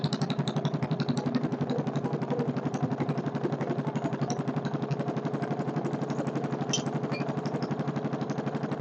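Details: Kohler K301 single-cylinder stationary engine, first run, not bolted down: crisp, even beat about four firings a second, no apparent knock or clatter; running healthy, carburetor work still planned.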